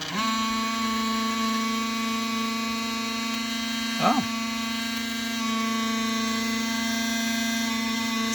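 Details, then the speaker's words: Emerson VCR765 (Orion-made, c. 1990) in fast forward: constant mid-pitched electric whine with a buzzy edge from low in the deck, probably the capstan motor, after lubricating the tape path didn't help. "oh it's actually the Capstone motor probably the Capstone [Music] Capstone itself"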